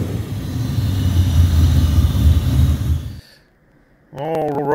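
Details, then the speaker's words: 1981 El Camino LT1 V8 swap with T56 on first run, serpentine belt off, warming up until the headers get hot to burn in their paint. Deep, even V8 rumble that cuts off abruptly: normal warm-up running. "it's not too loud it sounds good when you're getting on it so we're gonna let it warm up a little bit until the headers start getting hot and we'll shut them off try to burn the paint"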